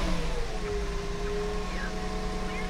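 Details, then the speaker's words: Mercedes E320 W210 on first start after fitting a new catalytic converter: smooth, steady low idle rumble with no puffing or ticking from the pipes; exhaust sounds sealed with no leaks. "She sounds good. Okay, that's good. I don't hear any huge exhaust holes or anything."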